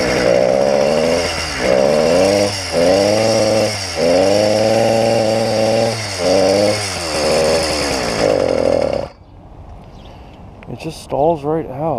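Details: YD100 two-stroke on a bike, just reassembled after a piston ring problem was found, primed and started: buzzy engine surges and sags, revs dropping at each load before dying out near nine seconds; stalling under load.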